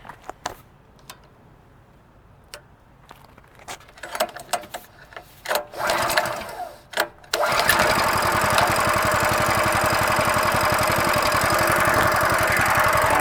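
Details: Coleman mini trail bike with 6.5 HP overhead-valve engine, nearly new and lightly used: a few clicks and fumbling, then the single fires and holds a steady, even putter with no knocks or misses; normal idle.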